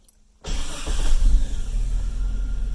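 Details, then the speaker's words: 1996 Jeep with the starter circuit bypassed using a 30 A fuse: key on, push start gives a brief crank that catches straight away and settles into a steady low idle. Clean start after the bypass fix. "so once you have that key on you push start right up"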